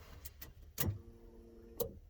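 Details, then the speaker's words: GTV being revived after 18 years, used donor fuel pump with new seal, heard from the rear of the car: a couple of clicks, then a faint steady hum for about a second as the pump primes; normal priming. "Let me just put the camera in the back so you can hear the fuel pump"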